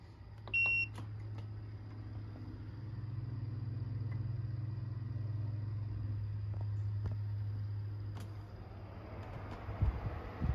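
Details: Brand-new Midea U 6,000 BTU window air conditioner (late-2025 build), startup just after installation in the window, heard from inside the room, 70s°F and humid outside. A beep, then a smooth low fan hum as the compressor ramps up, apparently to full capacity, on high: normal startup.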